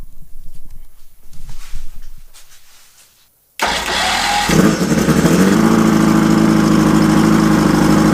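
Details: Mercury Thunderbolt 500 50 HP outboard, first run after complete rebuild (reeds, bearings, rings, distributor, carb, fuel pump, starter, water pump), compression 123-124 psi, bulb primed: quiet cranking, then clean start and steady, even idle.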